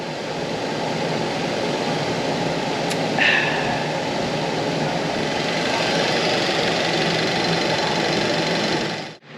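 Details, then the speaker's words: 2007 Mazda 6 after a radiator swap, warmed up with the heater working and temperature stable, idling to bleed coolant with no leaks: a smooth, even, healthy idle. "I got heat now, which is good. The temperature is stable. So I'm just going to let her run."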